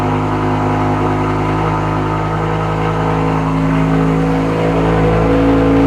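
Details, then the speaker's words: BMW E63 M6 S85 V10, nearly 20 years old, after cylinder eight misfire fixed with 10 new spark plugs and three new coils, codes cleared: smooth pull up through the revs, clean even drone, no stutter or popping; normal running. "M6 is running good again. Just a slight coil and plugs. Nice little tune-up."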